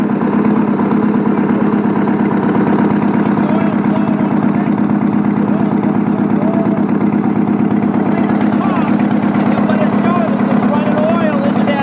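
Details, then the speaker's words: Old Detroit 8V71 two-stroke V8 diesel at idle with rocker cover off, valve gear exposed; loud steady clatter about three beats a second, worn engine; even at idle it's loud. "Even at idle it's loud."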